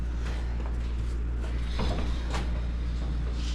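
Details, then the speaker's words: Lifted Duramax diesel squarebody Chevy front end on a lift kit, wheel turned with suspension unloaded: over low hum, soft scrape and catch about twice per revolution-second from steep-angled CV axle binding; improved but still catching. "Look, it's way better. It's not perfect, it's still catching."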